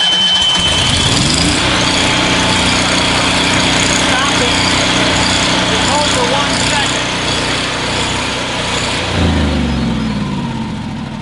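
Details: Miller Bobcat 260 engine-drive welder started by remote start/stop from a distance; quick crank, catches cleanly, settles into steady even hum, then eases down smoothly: normal start and idle.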